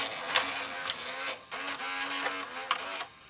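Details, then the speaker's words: Sony SLV-676UC VHS VCR with a swing shuttle tape door; the tape transport whirs loudly with irregular clicks and clatter, but the tape is not being read, giving no picture or sound. "Boy, noisy little bugger, isn't it?"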